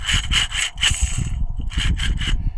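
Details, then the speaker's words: John Deere 450B with the clutch removed: a gritty, rasping grind as the worn, loose throwout bearing is spun by hand, needing replacement. "Okay, we got the clutch out. Wow, listen to that throwout bearing."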